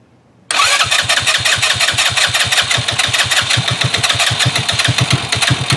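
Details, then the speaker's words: 2018 Trailmaster 150 XRX dune buggy, previously non-running, first start after replacing the carburetor with a new one and a new battery; cranks and catches immediately, settling into an even popping idle. "It wants to run. Idle before, now it's idling. That's a big plus."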